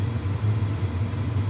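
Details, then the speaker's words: WIPPRO diesel heater just ignited after first-time priming, glow plug indicator lit, hot air coming out: low, soft, even burner rumble with no sputter, and fuel-pump ticking barely audible with the head right next to it. Normal burner operation. "I can't hear the fuel pump ticking. Okay, if I put my head right next to it, I can barely hear it. But this is actually really quiet."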